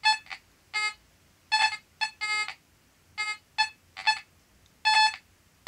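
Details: Fisher F44 metal detector: irregular bursts of high beeping and chatter, about one a second, with no target present; erratic false signals from EMI interference.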